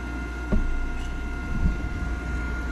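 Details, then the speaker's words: Nine-year-old Trane forced-air gas furnace, newly replaced draft inducer with the gas back on: motor spins up smoothly into a steady, quiet hum with a faint even whine and no rattle or scrape; normal operation. "now that our gas is on take two draft inducers coming on sounds nice and quiet"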